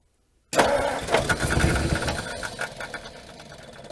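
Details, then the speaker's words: 1956 Ford Customline 292 V8 with Holley teapot four-barrel, off road 50 years: ragged cranking with pops that nearly catch then fade; fuel dripping, engine flooded. "oh yeah we're dripping fuel down there this may not work this may be flooded yeah this is flooded out now so let's hold that open for a bit"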